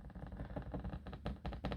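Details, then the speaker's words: Dell XPS 15 9500 (2020) after two weeks of use: loose, wobbly trackpad gives quick irregular light taps and clatter while scrolling without clicking; laptop to be returned. "That's basically the wobbly trackpad, if you get what I mean. You can clearly hear that, I hope. I ain't clicking it. I'm not clicking it. I'm just scrolling as you do."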